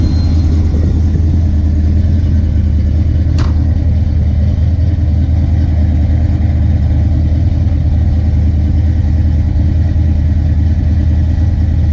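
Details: Ford Mustang Fox-body V8 with a big cam: deep, lumpy idle rising and falling instead of settling; surging idle; TPS also adjusted.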